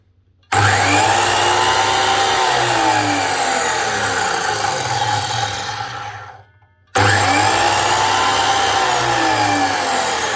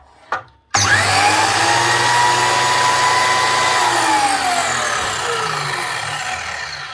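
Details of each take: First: DeWalt DWS727 type 1 miter saw motor spinning up with a harsh, gritty roar and wavering whine from worn, rough bearings, plus a little sparking; brushes also to be checked; bearings to be replaced. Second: DeWalt DWS727 type 1 miter saw after motor bearing replacement (previously sounded very rough): quick spin-up to a clean even whine, smooth coast-down, no rumble; bearings sound good.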